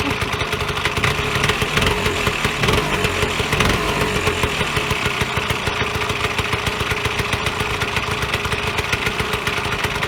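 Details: Vyatka Elektron (possibly VP150M) two-stroke scooter revived after long garage storage: steady buzzy idle for ten seconds, firing evenly with slight speed wander; engine sounds healthy.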